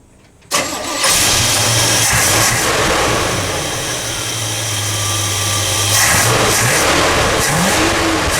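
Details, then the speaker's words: Big-block Chevy V8 after carburetor cleaning, throttle linkage disconnected, air cleaner on: starts quickly and settles into a steady, even run with no stumbling or popping; sounds much better than before. "Notice the air's on. It sounds a lot better. I think we fixed it."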